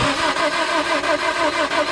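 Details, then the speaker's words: Car with a B20 B-series engine, spark tester on the distributor: starter turns the engine over at a steady chug, about four times a second, without catching; no spark, distributor to be swapped. "okay yeah no spark all right okay so I just wanted to double check there that that spark tester was working on my truck"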